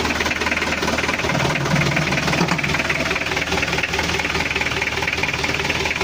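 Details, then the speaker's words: Mitsubishi L300 diesel, post-2010, heavy blow-by and oil consumption, rough when hot: loud busy idle with a steady hard knock about four times a second; suspected worn piston bores and injector housings, before overhaul. "Emang geter tapi suaranya itu ada indikasi e rumah piston kalah kalau dingin memang enggak ngasap tapi keterangan sang pemilik ini makan"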